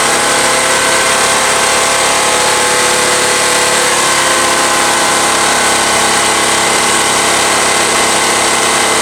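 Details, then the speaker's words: Honda EX1000 generator after carb cleaning, choke off, running a heater: dense, strained drone held low without climbing, engine struggling near its load limit. "It really drops the idle as I tone this down."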